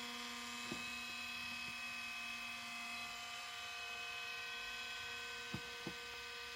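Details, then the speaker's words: Loud cooling fan noise from a 2005-model IBM ThinkPad R52 (1846-A59, built Feb 2006) laptop with a Pentium M 1.86 GHz: steady high whirring hum with fixed whistling tones. Owner suspects age and poor maintenance by the previous owner. "펜 소이 엄청 심한 거 봐서는 전 주인이 제대로 관리를 하지 않았던 모양입니다"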